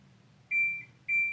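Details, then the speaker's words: Kenmore Series 600 washer: two clear high-pitched beeps about half a second apart in a quiet room. The cycle signal was shut off by holding its button too long and is now back on; normal cycle signal beep. "we can adjust the cycle signal higher or lower by pushing this button but if you push it and hold it by a mistake for too long you shut the cycle signal off completely so now it's back on that's the way we like it"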